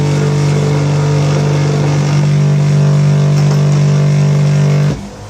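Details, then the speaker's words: Buffing wheel buffer polishing a pipe: steady motor hum with a faint loose rattle until it cuts off and spins down; it rattles even though it has been screwed down, and it makes an annoying sound unless held down. "little rattle um I've screwed it all down and everything but it'll rustle like a bastard"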